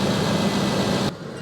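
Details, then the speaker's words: Ford ranch truck with 212,692 miles and new fuel injectors: steady, even low rumble with no ticking or knocking for about a second before dropping off; healthy normal idle. "212,692 miles. She sounds good, guys. She runs good."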